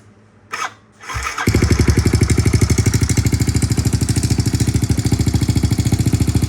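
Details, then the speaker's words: Kawasaki KLX110L with TB big bore kit and aftermarket cam, cam timing corrected: cranks and catches within a second, then settles into a crisp, even single-cylinder thump at steady idle; the slight tick is attributed to the aftermarket cam; healthy. "good. Sounds good. She's really crisp on the throttle."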